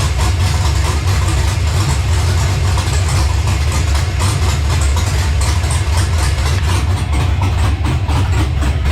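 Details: LS-swapped Monte Carlo on an ACES Jackpot LS EFI system, first startup: deep, choppy V8 idle with a steady lumpy lope and no knocking, a healthy big-cam idle.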